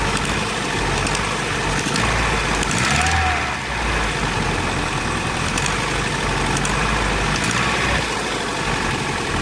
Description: Vauxhall Astra G, X reg, 1.6 8v, engine code X16SZR massive misfire when cold but Is fine when warmed up also clicking noise is always there when accelerater pedal is pressed.